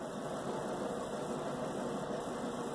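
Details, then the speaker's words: Bosch WTVC3300US/10 electric dryer running normally after repair: smooth, steady hum and even tumble with no knocks or scraping. The slipped motor-hold-down bracket had let the drive shaft rub the tensioner wheel; the motor was reseated under the bracket. "first of all you know I plugged it back in that's always a good sign play button here start button it sounds normal"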